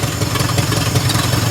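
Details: 1963 Pontiac Tempest LeMans convertible, Trophy 4 four-cylinder (half a 389 V8), first start on gravity-fed fuel, throttle held by hand: very loud, raw, choppy barking at fast idle with harsh crackle; running with no exhaust fitted.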